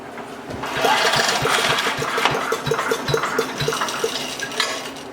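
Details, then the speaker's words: Craftsman 5 hp wood chipper, sat 3 years and was jammed: small single-cylinder engine fires and runs fairly steadily at quick even beat with some rattle and heavy smoke; running again. "Oh, that was good. I like that. Very cool. Very smoky though."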